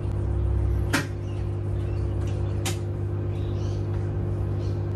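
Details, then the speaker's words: Samsung washing machine asked for a spin cycle: steady low electrical hum, drum never turns; motor can't start. "that's it that's all it does it won't actually start to spin just hums which isn't good"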